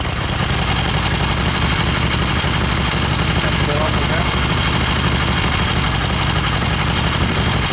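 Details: 1976 Harley XLCH Ironhead at rest: steady low lumpy V-twin idle holding an even beat under heavy background noise; idles smoothly with no obvious miss, though it misfires a lot when ridden.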